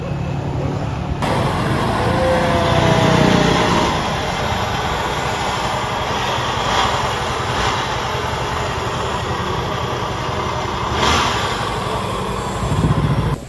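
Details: Honda CB150 motorcycle after worn clutch plates replaced and fresh engine oil, road test ride: steady even engine drone with wind rush, no knocks or clutch slip; running healthy.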